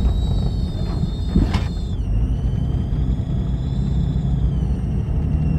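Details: Engine idling with low rumble and a thin, steady high whistle dipping slightly in pitch; owner suspects a vacuum leak, unconfirmed.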